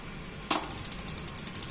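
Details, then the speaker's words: Gas water heater not lighting: rapid even igniter ticking, about twelve sparks a second, with no solenoid valve click; burner won't light. "tidak ada suara cetk kemungkinan ini orang-orang bilang selenidnya macet ya"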